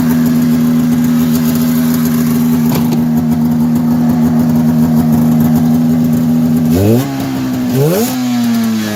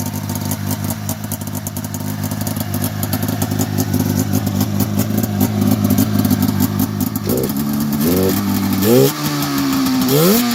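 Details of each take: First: 1990 Polaris Indy 500 two-stroke snowmobile, sat outside since 2005, carbs cleaned, new plugs and gas, belt removed: steady buzzy idle with raspy blatting edge, two quick throttle blips; exhaust leak still to be fixed. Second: 1990 Polaris Indy 500 snowmobile after sitting since 2005, with cleaned carbs, new plugs, fresh fuel and the belt removed: a crackling two-stroke idle picks up into several quick, clean blips; it revs freely despite a holed exhaust header.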